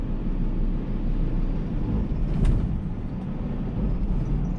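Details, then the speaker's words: Fully loaded lorry with 4-over-4 eight-speed gearbox, pulling off a roundabout slightly uphill still in 4th: deep, heavy diesel rumble staying low and strained without picking up revs; lugging in too high a gear. "we're just going slightly uphill here still in force you can hear it's really really really struggling"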